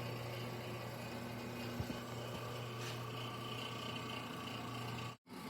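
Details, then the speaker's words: 1927 GE DR-2 monitor-top refrigerator, first plug-in after unknown standing time, sulfur dioxide system plagued by non-condensables, sump heater on: compressor runs with a steady low hum and faint whine, cooling but not cold enough; abnormal noise, cause not confirmed. "So, we got uh kind of a noisy unit here and it it it's it's cooling, but that's about as cold as it's going to get. Um, and that that noise there, that's that's not normal."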